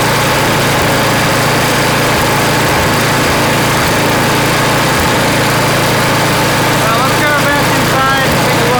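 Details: Craftsman snow blower (customer's) after cleaning and reassembly with a replaced seat: small engine chugs along at steady speed with an even beat, some clatter in the background; runs smoothly and healthy.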